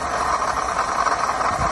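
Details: Mercedes CLK350 engine running with brand-new serpentine belt: steady harsh grinding rasp, strongest mid pitch, from the belt drive; old tensioner was wobbly.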